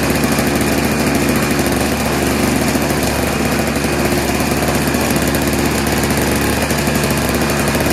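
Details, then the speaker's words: Junk single-stage snowblower with a Tecumseh engine and bowl carburetor, no electric start, pull-started after sitting unused: the engine runs loud and harsh with a choppy, uneven rattle under its drone; rough running. "what do you say we try to pull start it a couple times oh that sounds terrible"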